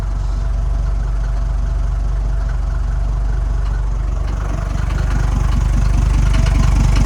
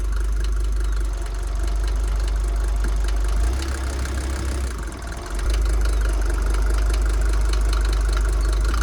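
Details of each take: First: Mercedes T1 OM602.940 diesel after engine rebuild and head work, cold morning start, engine cover on: steady smooth low idle, no knocks or misses; starts less well than it should due to a compression leak. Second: Mercedes T1 van, OM602.940 diesel just rebuilt with reworked head, first start in neutral after glow plugs: steady idle with a sharp repeating rattle that persists after rebuild; points to a noisy injector.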